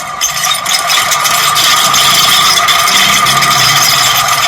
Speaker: ये आपके सामने इतना शोर कर रहा है पंखा। हम आज इसके बैरिंग चेंज करेंगे। तकरीबन 80% जो कि बैरिंग की वजह से शोर करते हैं पंखे।